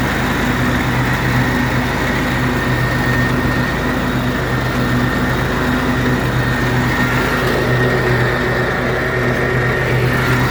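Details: John Deere L130 riding mower after a deck bearing housing replacement for worn-out bearings: loud, steady engine drone with the deck spinning evenly, no grinding or spindle squeal; repair fixed it, normal running.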